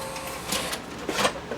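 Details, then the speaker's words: Sony VO5800 U-matic VTR: short whirs and dull clicks as the mechanism fails to finish ejecting the tape; cassette sticks, loading belt suspected. "I think I see the problem. It's not ejecting. It sticks."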